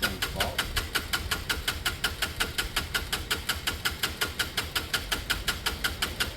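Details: Chinese 125 motorcycle (Lexmoto Michigan or Herald Classic 125) on a used but good battery, struggling to start. Steady cranking at nearly three beats a second with an even chuffing rhythm that never catches. It cranks but won't start; the owner plans to recheck the spark and questions whether the fuel is pumping.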